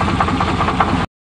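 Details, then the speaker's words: 1988 Chevrolet truck at rough idle: dull, regular knock deep in the bottom end over the engine note; owner mentions a bad crank, cause not confirmed. "oh that sounds kind of sick"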